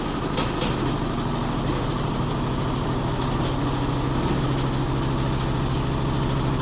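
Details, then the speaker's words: Neighbour's Midea HealthGuard washer accelerating in spin: a steady low hum and drone that intensifies with drum speed. The machine shakes but does not move; something internal loose is suspected, not confirmed. "Parece ter sido alguma coisa interna que tá solta. Obviamente que eles não vão usar com parafuso de transporte, né? Tá acelerando. O barulho intensificou."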